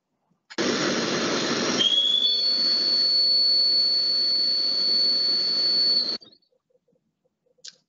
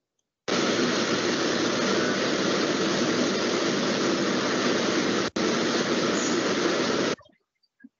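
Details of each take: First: Milling cutter in a thermal shrink-fit holder, which is stable and has low runout: a high steady whistle over the cut shows some cutter vibration; by comparison, a hydraulic holder reduces the vibration significantly. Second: es muy suave el corte no tenemos vibraciones en la cavada es mucho más estable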